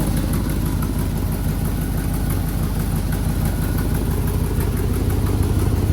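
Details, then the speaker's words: Twin-turbo Chevrolet Silverado, first start after switching from a hood-exit to a full dual 3-inch exhaust: a deep steady idle with faint rhythmic puffing about three times a second from an exhaust leak at the header on one side. "So we got a bit of an exhaust leak going on the header on this side, so we'll have to figure that out."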